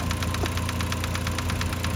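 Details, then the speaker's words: 2005-2010 Mk5 Jetta 2.5L with muffler delete, loud engine-bay ticking at idle that began about 3,000 miles ago: sharp, even ticks about eight per second; a homemade funnel stethoscope points to the vacuum pump, not the timing chain. "so over the uh the little muffler delete you can hear the loud ticking noise coming from the engine bay"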